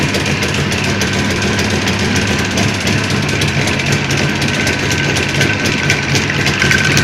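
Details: Jawa 638 two-stroke at idle, project still being built and sorted, tired cylinder-piston group: busy, uneven clatter about four knocks a second over the exhaust, from crankshaft knock and a rattling chain.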